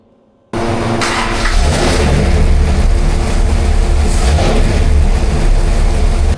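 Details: 426 Hemi V8 on a dyno, rebuilt after a holed piston, with good oil pressure, carb secondaries open, running rich, timing being advanced: deep steady roar under heavy load with no metallic pinging or rattle; no detonation.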